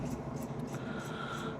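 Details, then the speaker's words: Ford KA bought at auction, wheel spun by hand: low, gritty grumble instead of a smooth whirr, indicating a rough wheel bearing, although there is no play in the bearing. "Oh, that sounds a wee bit grumbly. Did you hear that? There's no play in the wheel bearing."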